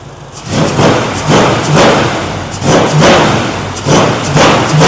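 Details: 1971 Chevrolet Chevelle SS 454 V8 with open headers, first start after Holley Sniper 2 EFI install, timing set and one minor leak fixed, on a cold night: loud bark with crisp throttle blips that climb and settle cleanly; normal running.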